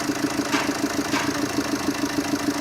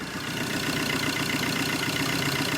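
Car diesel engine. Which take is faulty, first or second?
first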